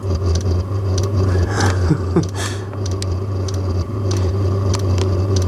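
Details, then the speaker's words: Diesel heater carbon-clogged after a night on used HV46 hydraulic oil, relit on diesel: low uneven roar with irregular pulsing and faint ticks over fan hum, making a bit of smoke. Rough running; it later went out after a couple of hours. "It's not sounding great, but it's lit. Is it going to stay lit this time or is it going to flame out again?"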